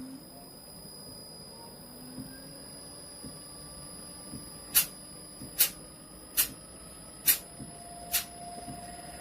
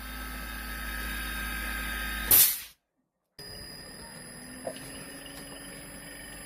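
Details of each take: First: Gree DC inverter AC, customer says it shuts off at high RPM with no error code: compressor hum climbs in pitch as inverter ramps up, sharp ticks about once a second; runs fine unloaded, fault expected only under load. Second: Gree DC inverter AC, customer said it shuts off at high RPM with no error code: bench-run compressor under full load at high RPM hums steadily with constant high tones, no cut-out; now running normally.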